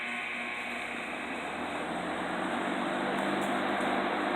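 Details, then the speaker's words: Old Lau box fan on an industrial stand, motor freshly oiled (never squeaked before), on high: smooth, even rushing air with a faint steady motor hum, quiet, no squeak or rattle; normal running on high. "It's pretty quiet. That's on high."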